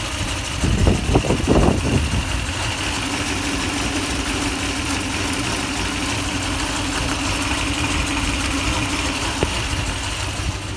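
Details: 2004 Toyota Tundra after fan bearing replacement and timing belt change: a couple of blips, then an even, smooth idle with a faint steady whir and no rattle; sounds better, earlier it was louder.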